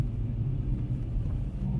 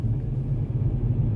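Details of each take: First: Kia K3 GT gasoline turbo, in Comfort and especially Sport mode: at low rpm the active engine sound generator (ESG) produces a buzzy, diesel-like droning/trembling noise in the cabin; cannot be switched off, owner plans to remove it physically. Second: Kia K3 GT petrol turbo cruising at night in Eco mode, where the virtual engine sound generator is muted: steady, low, even rumble under light load with no droning boom; sounds normal and smooth.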